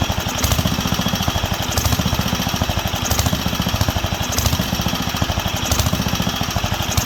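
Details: Wisconsin AENL single-cylinder barn-find engine on its first run in 20+ years, after restoring spark and cleaning the carb. Hard firing hunts every 1.5 s, never settling. Lean surge; owner wonders about the condenser but believes it is fuel, as cutting fuel worsens it.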